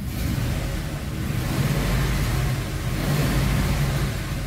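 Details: Ford F-250 V8 after repair (too-short adapted spark plug cable suspected of weak spark), codes being cleared: deep steady roar rising and holding with revs, no stumble or skipping beat, firing clean on all cylinders; healthy revving.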